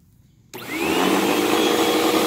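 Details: Hoover vacuum (Elite Rewind) running: steady rough roar with a high whistle and a ragged-sounding brush; brushroll noise, belt believed shot, possibly the brushroll too.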